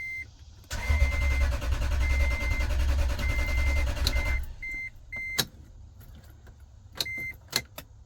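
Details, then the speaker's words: Toyota Tundra V8 with 35,254 miles, towed in after sitting a long time: starter cranks steadily about three and a half turns a second under a chiming beep, but it never catches and no fuel pump is heard; crank, no start. "Tell you what, I don't hear a fuel pump. I don't hear anything fuel pump related."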